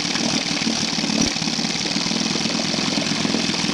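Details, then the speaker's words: 1973 Evinrude 9.5 hp two-stroke outboard at idle with the upper plug wire reconnected: a rough, stumbling, uneven pop, a misfire. Compression is 62/65 psi; the owner suspects the upper coil or wire grounding out, possibly via bare kill-switch wires. "but I have one spark plug unhook soon as I PL the spark plug in look what happen I get a misfire what the"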